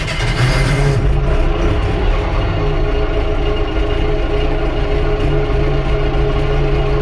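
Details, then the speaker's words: Allis Chalmers 6080 tractor on its first work after an overhaul, heard in the cab at idle: loud, steady diesel drone booming and echoing off the roof panels, excessive cab noise with the cause not yet identified. "Yeah, so anyway, that's at idle and it's this loud in here. It's just everything, and it's all up here. You just hear it echoing all over the place. It's terrible."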